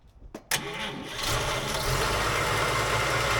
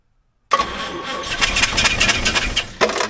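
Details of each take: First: 1951 Chevy sedan, 216 straight-six, stored six years; after fixing reversed battery and coil wiring, replacing the coil, setting points gap and a leaky carb, it cranks briefly, catches and settles into a smooth, even idle; normal. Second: Stored six years, a 1951 Chevy sedan 216 straight six primed with fuel down the carb cranks with a few sharp puffs, catches briefly, then stumbles and dies; incorrectly wired battery and coil plus a leaky carb later corrected.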